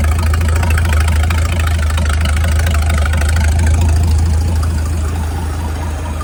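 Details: Mid-1950s Chris-Craft Model W (marinized Hercules WXLD) inboard in a 1940 23-ft speedboat, after overhaul following an oil-pressure-loss failure, test run: deep steady low thrum, even firing beat of about four pulses a second, no knocking; normal running.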